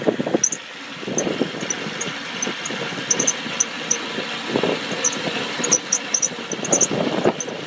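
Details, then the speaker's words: 1990 Mercedes 300SE 3.0 straight-six, cold start after sitting a day: sharp uneven chirps from the belt/tensioner over a rough, lopey idle. A vacuum leak is also suspected; it runs better once warm. "it usually fires right up but i'm going to try and explain what happens if you don't have the starting fluid might be a vacuum leak too hurry lopey squeaky belt tensioner"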